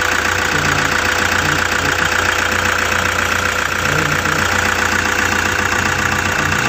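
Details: Toyota Hiace with 2KD diesel, restarted and catching on one crank: steady, even clatter of about two and a half beats per second, no misses or stumbles; normal diesel idle.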